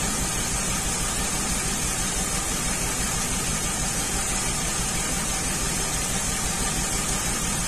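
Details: 2003 Ford Windstar 3.8 V6 running rough at idle, plugs changed earlier. Uneven lumpy pulse, about three stumbles a second. Cylinder 6 plug wire shows little or no spark: a misfire from a faulty ignition coil pack.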